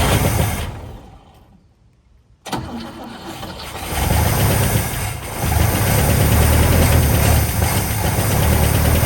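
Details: 1959 Cadillac V8, sat for years, first start with only fresh gas added: cranks, catches, then holds a high cold idle with a loud, uneven, rumbling exhaust; runs well, but the exhaust sounds terrible.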